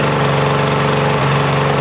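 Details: Mercury 50hp two-stroke outboard during full service, after carb sync and link: flat, uneven lumpy idle as if running on one cylinder; spark lost, bad CDI switch box confirmed by testing.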